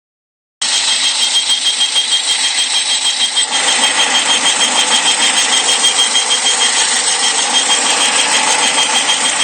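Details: 2001 Saturn SL manual at idle after start-up: thin, high, steady whistle like a flute over a smooth idle, persisting with the belt removed, seemingly from around the intake manifold; intake-side leak suspected, unconfirmed.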